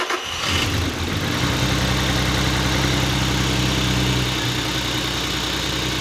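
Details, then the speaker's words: VW Passat R36 3.6 VR6, 189,000 miles, after timing chain work, cold start: catches quickly and settles into a smooth, even idle without chain rattle, picks up oil promptly; some smoke from coolant burning off. "and that to me sounds a lot smoother"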